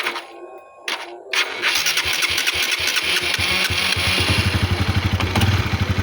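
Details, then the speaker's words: Honda CB150R motorcycle after starter motor (dinamo) repair and lubrication, starting on a weak, worn-out used battery: starter turns over sluggishly before the engine catches and idles evenly; slow cranking from the weak battery. "Oke, tadi kan kalian dengar ya agak lemah ya waktu dia starternya itu apa sih bahasanya? Lemot ya. Lemot itu dikarenakan akinya, bosku."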